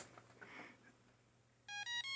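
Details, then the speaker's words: HAKRC FPV drone ESC stack at power-up: three short, high electronic beeps in quick succession; with flight controller fitted it keeps restarting, no buzzer present, cause unknown. "it does that beeping, but with an FC on it, it just keeps restarting over and over."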